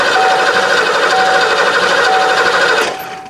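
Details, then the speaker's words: 1990 Ford Mustang GT 5.0 V8 manual, 16,000 miles, sat since 1994, fuel system not ready: starter solenoid clicks, then engine cranks steadily and freely without starting, building oil pressure; normal cranking, no start. "Nothing. I can hear the I can hear the solenoid clicking."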